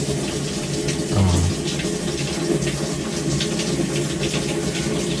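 Steady rush of water with a low hum and no buzzing or chatter: the hot inlet valve is filling normally.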